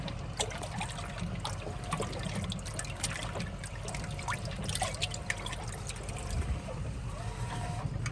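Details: GE washer after repair of grinding caused by agitator pegs scraping the bottom when overloaded: water sloshes and trickles over a low motor hum as it agitates smoothly with no grinding; normal agitation.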